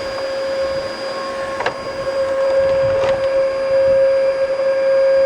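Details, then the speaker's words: Bissell Powerforce bagless vacuum, first plug-in after being found outside in winter: steady high motor whine with no brush-roll thump or airflow rush; brush bar not working and no suction, all filters clogged. "Well, brush bar isn't working. Let's see if there's suction. Nothing. I don't think it'll even pick up snow."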